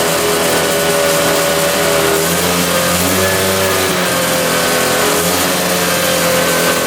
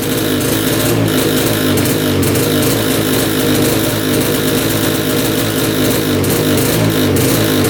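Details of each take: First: 1965 Tatran 125cc two-stroke scooter, 20 original miles, first start after 40 years in a barn: revs up and settles into a steady, slightly high idle, running healthy. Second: 1965 Tatran 125cc two-stroke scooter, first run after 40 years: flat drone at full throttle that won't climb in pitch, with heavy oil-smelling smoke; not revving out, owner suspects gone crank seals.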